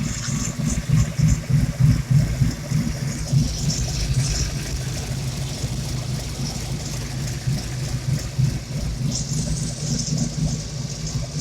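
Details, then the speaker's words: SVO 351W V8 at steady idle, engine bay/exhaust: deep, mostly steady with a slight lumpy waver from a remaining vacuum leak on cylinder seven; codes P0998, P0118 stored. "i still got a vacuum link on cylinder seven i'm gonna go ahead and show you idling"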